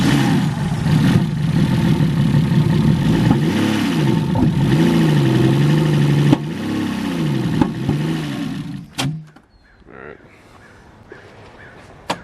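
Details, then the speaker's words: E36 BMW that sputtered, backfired and smelled rich; after new knock sensors, cleaned idle control valve and timing confirmed, it runs lumpy with a wavering surging drone and stumbles; compression test shows about 50 on a cylinder, engine judged toast. "Yeah. 50. Yep. So yeah, she's toast then."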